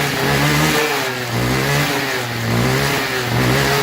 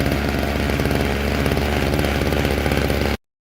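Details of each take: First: String trimmer that wouldn't start, after carb cleaning, new fuel lines and air filter: engine surges up and down about once a second then sags; rough running, suspected dirty or faulty carburetor diaphragm, later replaced. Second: Old two-stroke string trimmer after carburetor cleaning, new fuel lines and a new diaphragm (previously running as if dirty), before tuning: buzzing at a fast, fairly steady idle with rapid firing pulses until cut off; engine running.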